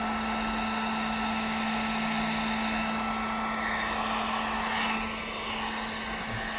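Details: Heater drawing about 713 W on 750 W setting, powered by DIY hand truck 1000 W inverter, wires cool: steady fan rush with constant low hum, no cycling or cutting out; normal running.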